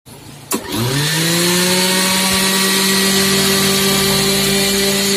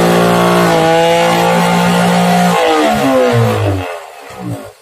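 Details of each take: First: Mixer grinder after repair: motor spins up within a second to a steady, even high whine with no rattle or grinding; grinder running smoothly, normal running. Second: Mixer grinder under repair: a steady high motor hum with a clear whine, then the pitch sags and fades as it switches off; condition unclear, nothing points to a fault.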